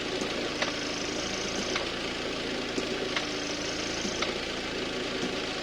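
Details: Audi A6 C7 2.0 TDI S-tronic, oil and filter changed 10,000 km ago: light sharp clicks about once a second from the gearbox at idle when selecting R or D, also on some 3-2 and 2-1 downshifts; cause unknown.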